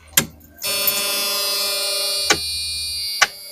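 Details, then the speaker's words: New electric fuel pump and new fuel filter, switched on via an added toggle switch before starting. A click is followed by a steady, even high-pitched hum as the pump primes and runs normally; the engine then fired up and pumped fuel. "Yep, I can hear it working. Trying to do something."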